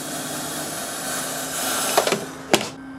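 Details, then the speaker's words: KAM KFHM 1000 fog and haze machine outdoors on a windy day, control not turned all the way down: steady low droning groan under the hiss with a couple of clunks; pump groaning at partial setting. "you can still hear it groaning away because i'm not turning it all the way down but i have but not pushed it further"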